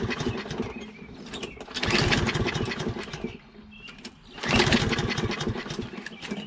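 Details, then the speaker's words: Toro Recycler XT675 self-propelled mower with Kohler engine: catches in rough bursts on starter fluid and dies, won't keep running; choke flap stuck open, starts with flap closed by hand. "Okay, so it doesn't start again without fluid in it. It's because the flap, choke flap is open."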